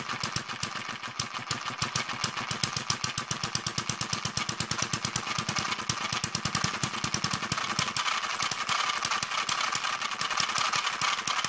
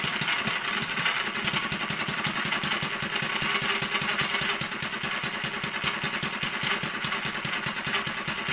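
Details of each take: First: Newly built Kerzel hit-and-miss model engine, water-cooled with spark ignition, still running in: fires quickly and continuously, about seven to eight beats a second, never coasting; governor mechanism still stiff. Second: Newly finished Kerzel hit-and-miss model engine, water-cooled with spark ignition, just started after priming the carburetor and still running in with a stiff governor and tight, noisy gears. Pops sharply and evenly about five times a second, firing every beat. Normal running.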